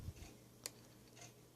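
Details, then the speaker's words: Mercedes SL600 driver-side throttle motor, before repair, with power applied directly to both terminals: only faint clicks and no rotation, as it tries but won't turn. The passenger-side motor turns with the same polarity. "here here's the contact made to both terminals the motor is not turning same exact polarity same exact thing do the same exact motor on the other side as you can see it is turning so now the driver side motor is not"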